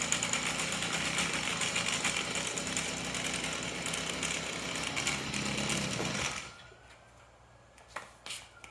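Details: Stihl FS38 trimmer after greasing the dry clutch drum bushing to cure an idle squeal: a steady, high, buzzy two-stroke run with no squeal, then the engine cuts out; the trimmer sounds normal.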